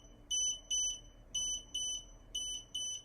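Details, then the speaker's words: TMV DVR monitor after a camera short circuit has shut down and frozen the whole system: high shrill double beeps repeating about every second. "the DVR monitor where will beep continuously for the amount of month of amount of time that is set on settings typically for about two minutes to alert the driver to report a camera down"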